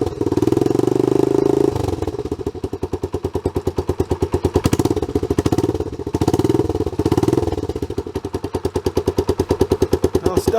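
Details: Honda CT110 Trail abandoned in a garden for years, after the carb fuel filter was cleaned and the bowl drained: a loose, uneven single-cylinder idle with sharp puffing pops at each firing, from a blowing exhaust.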